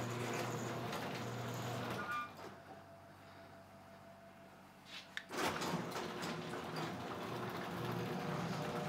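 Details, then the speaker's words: Garage door opener tested during a home inspection of a tri-level house in Colorado Springs: even low motor hum with steady pitch, no laboring or grinding as the door opens; working normally without strain. "so now i'm testing the garage door i want to see that it opens without too much effort it's not straining the device here"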